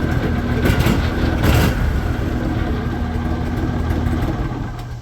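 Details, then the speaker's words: Refurbished 2001 Argo Bigfoot 6x6 amphibious vehicle, bought as a basket case, fully reassembled with new battery and carburetor kill solenoid wired to ignition: a couple of quick revs settle into a steady, even idle with no knocks or misses. Normal idle. "It sounds good. Not bad for coming to us as a basket case."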